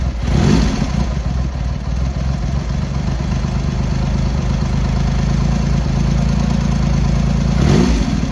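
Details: Triumph X75 Hurricane, rebuilt carb rack just refitted, cold idle on half choke at throttle stop: lumpy, irregular beat with brief throttle blips, one cylinder seemingly missing; pilot screws thought set 7/8 out, carb tune suspected.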